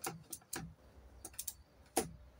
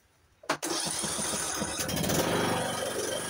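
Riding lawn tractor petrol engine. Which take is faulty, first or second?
second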